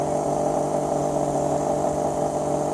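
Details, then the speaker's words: 2000 Chevrolet Silverado 1500 Z71 fuel pump, tank removed, running about 3 minutes: loud steady whine yet well short of 55 psi and little fuel delivered; worn pump. "It's loud, but it's just not putting out. That's not 55 psi."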